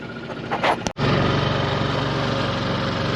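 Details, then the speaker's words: 5HP Nissan four-stroke outboard on a small boat at cruising speed: low, steady, even putter with no knocks or misses; running smoothly and quietly. "here and the motor sits quiet little four stroker love"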